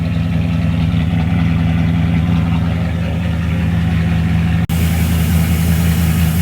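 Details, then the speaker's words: Mercedes CLK55 AMG (M113 V8) fired right up after breather hose replacement, intake off; low, slightly lumpy uneven rumble, no knocking, smoking heavily; rough idle just after start-up. "Alright, it fired right up. Running a little rough and definitely smoking."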